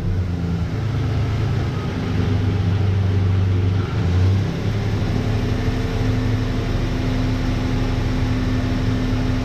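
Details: 1988 Dodge Ram V6, first startup after engine re-install following about 8 months of work: deep steady drone with a brief rev in the middle, settling back smoothly; sounds like a healthy running V6.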